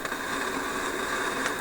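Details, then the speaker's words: Philips 922 vacuum tube radio after about an hour of running, with a signal generator audible in the background: steady crackling hiss with sharp pops, an intermittent hash; source not yet found. "okay so I've had this radar running for about an hour and you can hear my signal generator in the background and this hash just showed up"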